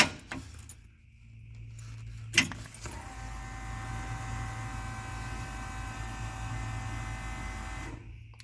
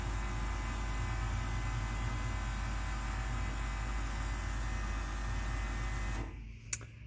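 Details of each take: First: Ford engine with Holley Sniper Stealth EFI, key-on cycle with foot on accelerator so no fuel enters engine: click, then steady electric fuel pump hum about five seconds cutting off cleanly; normal prime. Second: Ford engine with Holley Sniper Stealth EFI, key-on with foot on accelerator: fuel pump hum runs on about six seconds then cuts abruptly, failing to stop after prime about one in ten cycles, flooding engine otherwise; owner suspects ECU or handheld.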